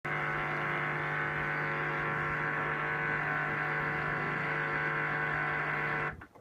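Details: LG 11kg Steam Direct Drive F1495KDS, two months old, during the wash cycle: steady even buzz over a low hum, varying in loudness (up to about 66), then cutting off; recirculation pump suspected.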